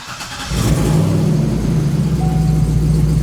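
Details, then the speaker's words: C6 Corvette's first start after a fuel-tank sensor wiring repair: the engine catches and settles to idle with no codes, but a thin high squeal creeps in. Belt squeak at start-up. "I don't see no codes. Okay, she is squeaking though. Whatever is squeaking."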